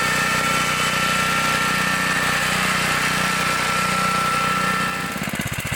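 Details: 1960s Bolens Lawn Keeper 28-inch riding mower, deck raised: even single-cylinder drone pulls steadily under cutting load, then shifts to a slower beat near the end; runs healthy.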